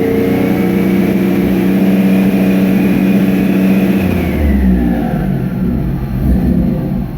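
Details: 1999 Nissan Frontier turbo on an aftermarket ECU, which once broke up around 1400 rpm from crank/cam signal errors, fixed by setting trigger and home filters to 0: smooth free rev past the old limit, no stumble, faint turbo whistle; clean, healthy.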